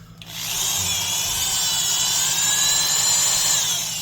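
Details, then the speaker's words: Milwaukee 0299 half-inch Magnum Hole Shooter corded drill: steady high whir holding one even pitch from spin-up to release, no grinding or clatter; gears sound healthy, as good gears should. "So, those are what some nice gears should sound like."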